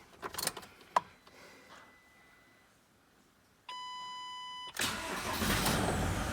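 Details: 2010 Ford Transit diesel van that squealed at every start, after a new belt: dash chime, cranks, catches and settles into even idle with no squeal; belt drive healthy.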